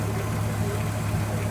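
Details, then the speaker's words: 1978 Scirocco with a VR6 24v swap, idling after the shorted after-run secondary water pump was disconnected from the fan circuit. Even, low, steady idle while the fan cycles on and off with no relay buzz. Normal idle. "And now we're running fine. Fan cycles on and off. Motor continues to run, and no buzzing relay."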